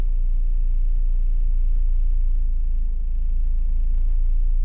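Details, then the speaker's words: 1998 Mitsubishi Eclipse revived after long storage, idling around 900 rpm: deep idle rumble that sags below 900 and recovers; revs fluctuating, unexplained knocking from the back; coil, plugs and wires changed years earlier; fluctuating idle speed. "Not badly, but they're definitely dropping. Drops below 900, pops back up."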